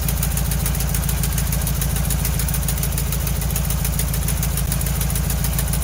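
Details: 1968 VW Bus camper, air-cooled engine, just revived after years of storage and a rear engine fire, with new wiring, plugs, points and condenser; carburetor linkage a little gummy: low, even chuffing beat, no misses or stumbles; running amazing at idle.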